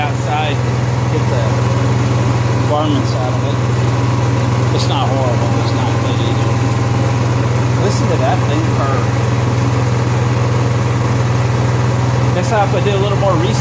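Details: Honda EXW171S welder generator, sat in a barn over 5 years. Smooth, steady low drone at even speed with voices over it and no knocking or misses; it runs fine, needs cleaning up and an air filter check.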